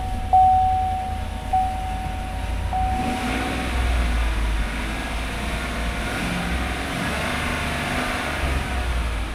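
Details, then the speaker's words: Used pickup at an auction, cold start, later found to have had its codes cleared 49 miles ago: a chime, then a steady, even V8 high idle settling lower with no ticking or knocking; healthy cold start. "Let her come down a little here and re-listen to that. I would say that sounds okay."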